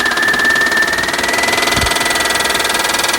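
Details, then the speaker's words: 2000 Honda Odyssey with water mixed into the engine oil, started after water was expelled from the cylinders: at idle a rapid, uneven knock about three per second over the engine; new abnormal knock, source not checked. "I did not have all of my tools on me at the time to thoroughly check out the new noise it was making."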